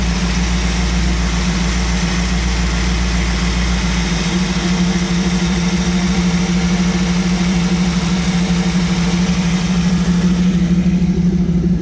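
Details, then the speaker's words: 1937 Buick street rod, new carbureted BluePrint 350 V8 in break-in, warm after the off-choke idle was adjusted. Idle mixture screws are set one turn out: a steady, deep burble at about 850 rpm, slightly smoother; normal idle. "Sounds a little bit better. Still about 850."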